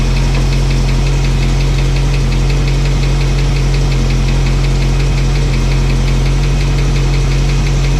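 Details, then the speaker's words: Old truck engine after cam break-in and new fuel line: light, fast ticking over a rough idle; a rocker adjusted earlier went quiet but tick returned, likely rocker backing off, owner hopes it's not a non-pumping lifter. "And I adjusted that down and I didn't hear it anymore. And it sounded really good. But now I hear it again. And I'm just hoping that, I hope it's not a lifter that's not pumping up."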